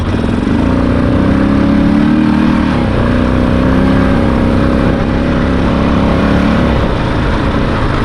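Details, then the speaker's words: Honda Rincon 650 ATV automatic under way. Engine pulls steadily and shifts cleanly between gears; 2WD/4WD engage properly. Still not running 100%, which the owner suspects is carburetor related. "Seems to be shifting pretty well. So that's good."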